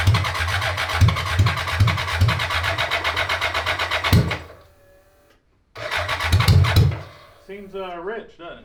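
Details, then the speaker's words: 1980s BMW 1000cc engine in a homemade mini trophy truck, after bypassing a possibly leaking hose that could make the air flow meter run lean: engine catches and runs lumpy at a fast uneven beat with popping, then dies and restarts roughly. Not fixed; rough running. "i'm gonna say it's not fixed"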